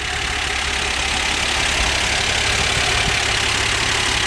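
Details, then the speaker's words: 1977 Dodge van idling after sitting since November, oil and antifreeze unchecked; smooth, even idle with a steady beat and no knocks, misses or ticks, runs like new. "Man, this thing runs like brand new. You can't believe it."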